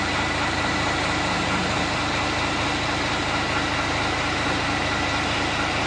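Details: Hino FM260Ti dump truck (Hino 500) with a freshly assembled J08E diesel idling, a steady even rumble with no knocks or misses; very smooth and healthy after rebuild.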